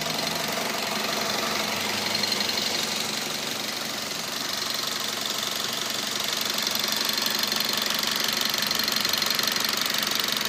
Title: мазда 3 2.0 стук в двигателе